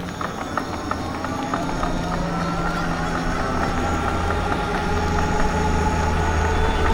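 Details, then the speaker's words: Electric bike rear hub motor, motor off while coasting on the road: steady ticking about four times a second over road noise, knocking inside the rear hub; owner suspects the motor is failing. "I'm not using the motor right now. I'm just coasting and it's doing that."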